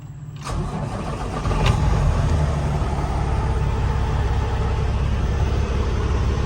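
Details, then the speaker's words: Cummins X15/ISX15 diesel truck after fuel filter and water separator change, key cycled 3–4 times to bleed air: brief crank, then it catches right away and settles into an even, steady low rumble; normal start. "Let it cycle through. Moment of truth."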